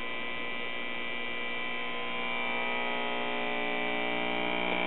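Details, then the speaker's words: Early-1950s Crosley tube radio at first switch-on, before repair: steady low buzzing hum with a rough edge, slowly growing louder, no response to volume or tuning controls; filter capacitors shot. "Yeah, already getting a little bit of hum at immediate turn"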